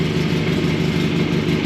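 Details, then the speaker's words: Wheel Horse 417A "Box Tractor" at steady low idle after engine repair, first start and test drive. A faint, regular light knock rides under the exhaust note; the owner hears a knock in the rotating assembly, cause unconfirmed. "I hear that knock in the rotating assembly. I hear you knocking, but you can't come out."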